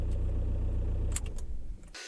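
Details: Skoda Fabia Mk1 1.9 PD diesel after repair of power loss, dash cluster failure and no-start: steady, even diesel clatter at idle with no misses or knocks, then a few clicks as the engine shuts off; normal idle.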